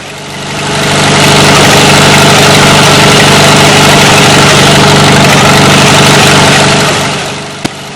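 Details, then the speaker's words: 1940 Farmall H tractor just after its first start in a number of years on a temporary fuel tank: steady, low, even chugging idle with no hunting or misses. The engine sounds healthy and fired up easily, and the owner says it should need hardly any work. "all in all i was very pleased with how easily this thing fired up shouldn't have to do hardly anything to it at all"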